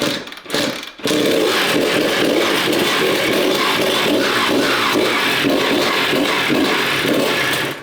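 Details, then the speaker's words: 1991 Honda CR125 two-stroke barn-find after rebuild, first kick start; engine catches with crisp revving buzz, steady, not very smoky; normal running. "bad sounded good though didn't it how good did that sound what a sweet sound"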